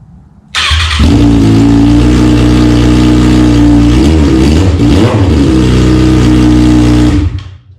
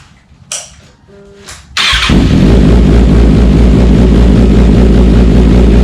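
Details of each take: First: 2009–2025 Kawasaki ZX6R after decatting the stock header, quick startup before the slip-on is fitted: harsh, loud raspy unmuffled bark, crackling at idle with a sharp blip; open header, no muffler. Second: Kawasaki ZX6R with decatted stock header and slip-on just installed: engine settles into a deep, steady, even burble with louder, freer exhaust note; healthy running, breathing better.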